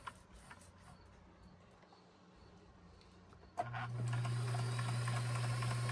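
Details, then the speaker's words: Kenmore 158-1941 sewing machine, during cleaning and oiling; moving much nicer though the owner still hears an unlocated squeak; steady even hum, no knocking or binding: normal running. "already loving how smooth and pretty that sounds. Really, really liking it."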